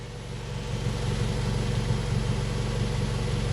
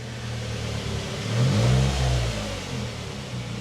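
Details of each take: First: Nissan Primera P12 after filling exhaust holes with repair putty, engine idling to dry it, microphone by the exhaust: steady, even low burble, no puffing or hissing, previously blowy; exhaust now sealed and normal. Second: Nissan Primera P12 after exhaust holes were patched with repair putty, engine idling to cure it, throttle blipped gently: a low, slightly blowy puff under the engine note. It sounds much better but a small exhaust leak remains.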